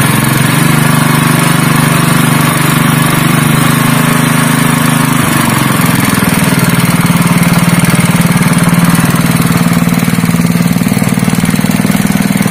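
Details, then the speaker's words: Honda GX160 5.5 hp single-cylinder engine, previously pulling as if it had no compression, runs after a valve clearance adjustment (IN 0.15 mm, EX 0.20 mm): an even, steady beat of about three firings per second with no misses or clatter, back to normal. "वह परिणाम नहीं है, दोस्तों, इंजन वापस सामान्य हो गया"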